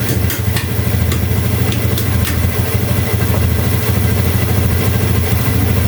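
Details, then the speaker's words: Honda Beat ESP scooter that showed blink codes 7, 11, 12, 52, restarted after unplugging the DLC diagnostic cable: steady even idle with no stumbling or hunting; runs fine. "sekarang kita cabut ya kita hidupkan kembali tidak masalah ya"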